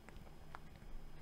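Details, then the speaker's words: 20GB 4th-gen iPod classic whose hard drive was listed as bad: faint irregular ticks, then one sharp click, as the drive whines; drive failure suspected, not confirmed. "that whining is so bad it's actually starting to hurt my head oh what no i think it's boot looping now"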